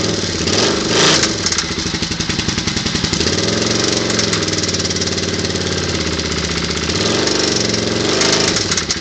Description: Edit: Turns out is was a spun rod bearing on the big end.